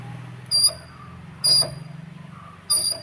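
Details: Mahindra KUV100 front right wheel spun by hand: sharp high metallic squeals in short bursts about once a second, heard while driving as a metal-touch sound; pad about half worn, wear indicator contact from a seized slide pin.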